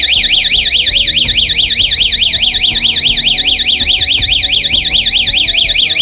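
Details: Electronic siren on 12 V with a motion sensor, on test: loud warbling siren sweeping up and down about twice a second, steady and unbroken; the siren works fine.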